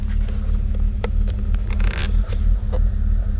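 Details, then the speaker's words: BMW E93 528i warming up, temperature gauge still in the blue: uneven lumpy petrol idle with small stumbles, not idling happy; rough idle, cause unconfirmed. "in the blue it's not idling happy"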